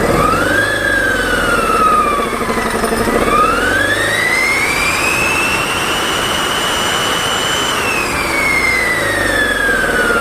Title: turbo failure 🤔